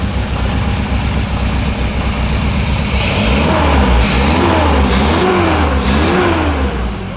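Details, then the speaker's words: 1967 Morgan Plus 4 that had not run in years, first start after oil in the cylinders: settles from a fast idle of about 1,200 rpm to 800, rocking a little, with a steady, even, slightly loping tick-over. Normal idle. "1,200 yeah 1,000 like 900 800 rocks a little bit [Music] sounds good"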